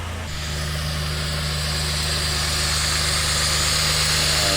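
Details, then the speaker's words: 2010 Dodge Ram 3.7 after a second replacement engine, smooth even idle with a steady low hum and no stumbles; no misfire, no check engine light. Normal idle. "engine looks like it's running pretty good doesn't seem to have a misfire now"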